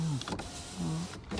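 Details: 2012 Toyota RAV4 four-cylinder, 90,242 miles, front-end collision no-start, run on a jump box, heard from inside the cabin: short whirring window motor runs with an even hum dropping off as each glass stops; window motors smooth and healthy.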